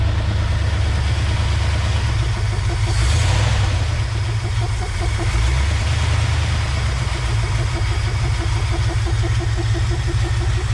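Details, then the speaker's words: 1969 Ford F-250 V8 sitting since 2001, engine previously stuck: revs then settles into uneven, lumpy idle, shaking as if missing; owner suspects a bent pushrod from a stuck valve; throttle sticking; fuel pump audible. "not like an idol very much i don't know if it's missing possible could have a bent push rod if one of the valves was stuck"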